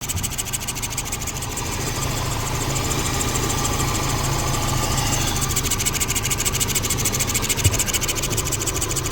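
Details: Suzuki DF115 outboard running at idle; steady hiss with fast even scraping; flywheel magnet steel cover broken (possibly corrosion) rubbing the stator, fixed by replacing the flywheel.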